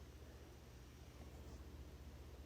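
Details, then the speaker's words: GE GSS25GMHJCES refrigerator, water drawn directly from the filter head: low steady buzzing rattle while water flows, with erratic dispensing and no ice; faulty filter head, inlet valve tested good. "right now we're connected and we're actually pulling water directly from the filter head okay so right now if I turn the water on take a listen and you can hear the noise"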